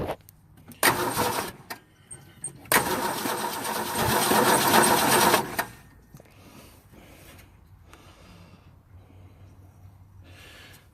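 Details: Ford Falcon, believed 170 cu in inline six, first start in about 17 years with fresh battery and spark: two long bursts of steady cranking about four turns a second, no fire; crank no start from fuel starvation.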